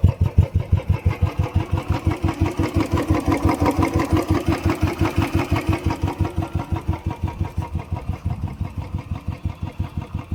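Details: Royal Enfield Bullet 350cc started on the second kick in cold winter after sitting about a month and a half: slow, even single-cylinder idle thump with no knocks or rattles.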